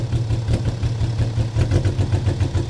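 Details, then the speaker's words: BMW E46 318i Touring: lumpy, stumbling idle with irregular surges and dropouts, as if running on one cylinder, later firing even less; severe misfire, cause suspected, not confirmed. "that said it sounds like we're barely running on one cylinder right now we'll get there"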